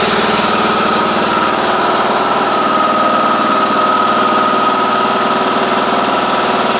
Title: John Deere d110 cold start. Clicking noise?